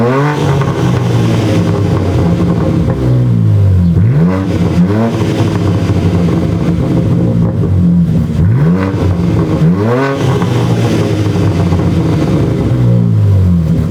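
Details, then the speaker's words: BMW G80 M3 with newly installed AWE Track exhaust, no tips, already resonator-deleted with a Dahlia H-pipe: deep rumbling idle with repeated clean sharp blips, loud raspy note; louder but not as loud as expected; normal revving, loud straight-through exhaust. "It's definitely louder. It's actually not as loud as I thought it would be. And I think it's because I've already didn't have a resonator."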